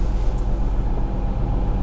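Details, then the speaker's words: Ford Escape (2002–2011) at idle in reverse or drive after replacing the failed engine mount: steady, even low hum with no vibration, shudder or rattle; engine smooth in gear. "I have absolutely no engine vibration now"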